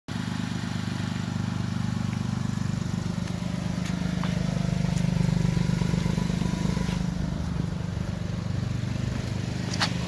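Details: 2006 Lexus GS300 with dual exhaust, recorded while driving: a deep, loud rumble with a rough, chuffing puff riding the engine pulses. A really bad exhaust leak.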